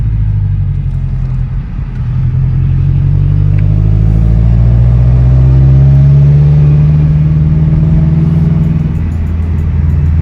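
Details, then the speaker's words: 2013 Scion FRS with newly built engine in break-in, run under light boost below 3,000-4,000 rpm after about 45 minutes running, no check engine light, temperature good: deep, smooth exhaust drone rising and easing with throttle, no knock, rattle or misfire; healthy. "I'm just going into like enough boost just so we can hear it. But everything's sounding really, really good. I'm excited."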